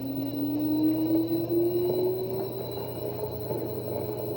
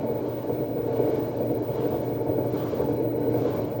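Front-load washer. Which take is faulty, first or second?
second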